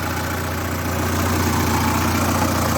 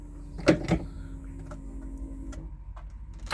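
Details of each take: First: VAZ 2106 (Zhiguli) after its knock was fixed, coolant just over 90°C, oil pressure gauge not reading, no leaks: low, steady idle with an even beat and no knock or tick; sounds healthy. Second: VAZ 2106 (Zhiguli) after two days charging a flat battery, fuel system and wiring connected, ignition on and fuel pump running: starter churns briefly, engine catches and runs rough about six seconds, then dies abruptly. Owner suspects petrol running out.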